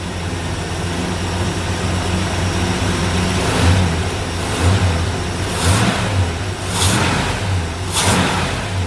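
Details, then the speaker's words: 1964 Ford Fairlane V8 with an old Busch Series race carburetor: a lumpy idle pulsing about once a second because the mixture is still too rich with 70 idle air bleeds. The plan is to go down to 67s; 65s was too lean. "all right so you can kind of hear it in the idle there uh it's it's just a little too fat so it's still still Rich"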